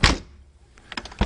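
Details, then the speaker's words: 1992 C4 Corvette driver door before weatherstrip replacement: door slammed firmly gives loose, rattly slam with short trailing clatter instead of solid thud; worn door weatherstrip. "because right now if you listen to this when it closes it doesn't sound very good"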